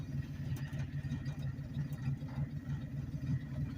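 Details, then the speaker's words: 1984–89 Ford F-150 at walking speed in low gear, no throttle, around 200 rpm: slow, even chug about three beats a second, picks itself back up without stumbling or stalling; healthy low-rpm lugging. "it's just chugging along like it ain't nothing and it just picks itself right back up it don't struggle"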